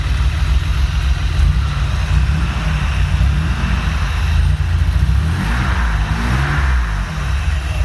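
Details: Honda J35 with BC cams and 12:1 compression, swapped back to normal rockers, still working out the idle. Lumpy, uneven idle with the exhaust beat wandering and loping: rough idle, cause unknown.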